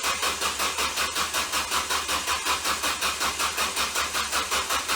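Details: Ford Focus: steady cranking at about 162 strokes a minute with a harsh even whir, engine never catches; bad starter shorted internally from burning up.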